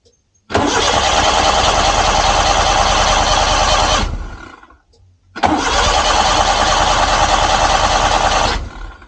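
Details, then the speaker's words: Suzuki Multicab: two long even cranking bursts of about four seconds with no firing, even with throttle pumped and choke on; carburetor float needle valve stuck, starving the bowl. "So ganyan lang siya. Crank lang siya ng crank kahit na ah bombahin mo dito."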